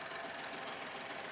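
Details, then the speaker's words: $1,200 used car, rusty, oil level not yet checked: fast, light, even ticking at idle; owner suspects it needs oil, cause not confirmed. "Probably needs some oil. It sounds like it needs oil. I should check that."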